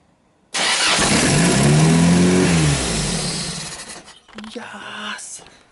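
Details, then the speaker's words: Hilux drift build engine with carburettor and distributor; earlier backfired out the carby (probably needs timing) but now starts first try and revs up and down cleanly with no knocks; runs perfectly. "She runs absolutely perfectly and I'm so stoked."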